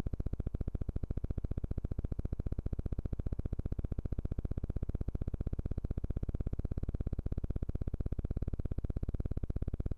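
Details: Studio Projects VTB1 tube mic preamp: after 5–15 minutes of use a steady, low, rapidly pulsing helicopter-like buzz begins; stops when the VTB1 is shut down, absent with mics straight into the interface.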